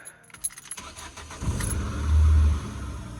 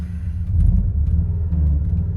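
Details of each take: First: Scrap-built Ford Focus after ignition fix, bonnet up: keys jingle, brief crank, engine catches and flares before settling into steady idle; starts cleanly. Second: Car built from junkyard scrap parts: deep uneven rumble that surges and throbs while running; nasty vibration, rough running, cause not yet clear.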